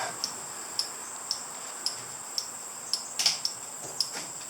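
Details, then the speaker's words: 1983 Honda CB1000 C Custom turn signal flasher after installing and wiring new turn signals: crisp even ticks about one per second with faint background hum; the turn signal flasher is working normally. "signals are working and now let's make sure the brake lights are working"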